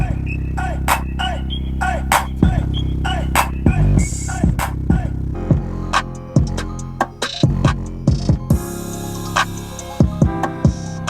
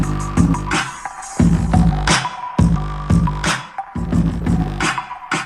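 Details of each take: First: Car speaker after the fix, with the blue caps inside the speaker box moved so they no longer hit the plastic: bass-heavy hip-hop plays with no buzz or rattle. Finding: clean speaker playback, no rattle. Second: Jeep Wrangler rear speakers at high volume: loud bass-heavy music with a buzzy rattle on bass hits, from loose wire caps slapping the plastic speaker box; no rattle at low volume.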